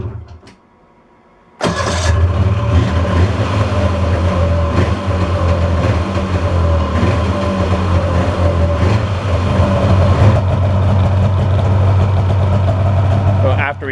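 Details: 2002 Polaris snowmobile, pre-season start after storage with gas poured down each cylinder: catches instantly and settles into a busy, slightly uneven two-stroke idle while burning off fogging oil; running fine.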